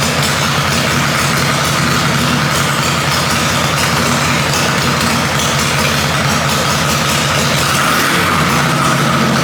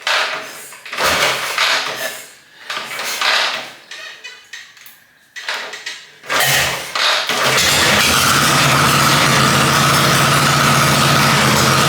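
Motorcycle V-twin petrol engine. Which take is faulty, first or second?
second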